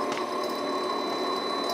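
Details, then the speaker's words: Used Hengli HSA1505 belt furnace, belt started from control panel: steady high electronic VFD whine with smooth even motor hum as belt drive comes up; normal motor start. "So if we wanted to start the belt, press here, and you can hear the VFD"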